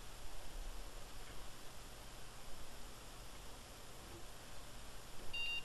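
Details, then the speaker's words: Car boot sale flea-market PC at power-up: quiet room, then one short high beep; normal POST beep, though no picture because monitor was on onboard video instead of graphics card. "Oh yeah, that sounds like it bleeps."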